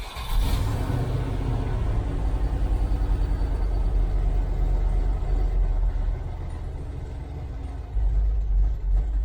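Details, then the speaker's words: 1989 Range Rover Vogue SE V8 after customer's throttle position sensor refitted (reads 4–95%): deep uneven rumble with a lumpy beat, not settling; responding better but not as happy, cause unclear; airflow meter 33%, bypass position 23%. "except it doesn't sound anywhere near as happy it's responding better"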